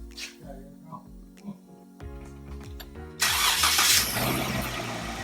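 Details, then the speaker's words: Jeep Wrangler (rebuild, engine bay finished, drive belt just changed) starting after repair: engine cranks briefly, catches cleanly and settles into a steady, even idle with no knocks, squeals or weird sounds; normal start and idle. "Oh yeah. Nice and smooth, no weird sounds."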